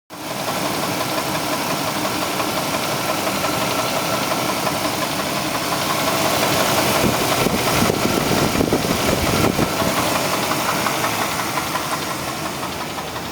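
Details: 1996 Chevrolet Blazer 4.3L V6, still holds oil pressure and drivable: harsh steady knock about three per second from the oil pan, rising and falling with the engine, began after starter housing cracked off; owner suspects damaged crank bearing.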